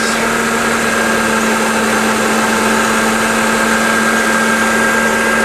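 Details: 1993 Subaru, nearly 20 years old with over 300 thousand on it, about to be junked, alternator one month old: constant, unbroken idle drone at a fixed pitch with no knocks, misses or rattles: normal idle.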